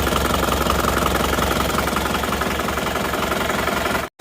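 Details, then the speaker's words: Isuzu Panther diesel that runs lumpy from cold start until warm: uneven, shaky idle with a beat dropping out, pointing to one dead cylinder from a faulty injector nozzle, before the injector lines are cracked one at a time. "Oke, jadi goyang seperti itu, ini pasti ada satu nozzle itu yang tidak bekerja atau silinder mana yang tidak bekerja."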